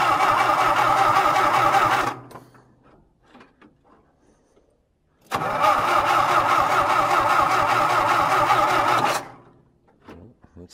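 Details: John Deere tractor on a winter cold start, carburettor dumping fuel, and the owner suspects it isn't taking fuel: two bursts of steady cranking at about four turns a second that never catch. It cranks but won't start.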